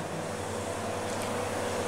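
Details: Homemade refrigerant recovery unit mid-recovery from an air conditioner: steady, even compressor hum with no knocks or surges. Running normally under load.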